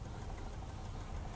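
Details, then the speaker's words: Kia Optima petrol engine idling with a dull, heavy rod knock deep in its low rumble, before a first-time rod bearing replacement; spun rod bearing suspected. "so guys check it out that is our knock oh it's so nice to see that"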